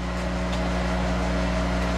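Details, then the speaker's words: Monarch 10ee lathe, warmed-up electronic variable speed drive, spindle running in reverse: steady low hum with fixed tone and a mild growl from the drive, attributed to speed compensation needing adjustment. "okay they're kind of a grill thing you hear back there's something we got to adjust that's the uh speed compensation"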